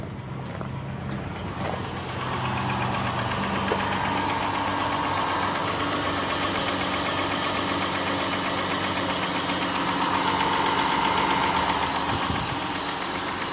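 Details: 2010 Chrysler Town and Country cranked after hydrolock repair (new intake manifold gaskets, plugs and coils reinstalled): the engine catches and settles into a steady, even idle with no knocks or misses, smoking off cylinder water and oil. Normal idle.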